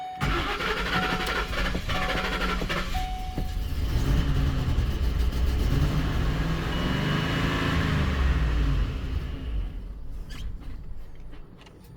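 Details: 2010 Ford Expedition 5.4L Triton V8, cold start after new spark plugs: revs unevenly under heavy throttle, fades, catches and surges; hard cold start with stalling, needs full throttle to stay running. A buzzing noise also comes from the driver's-side bank.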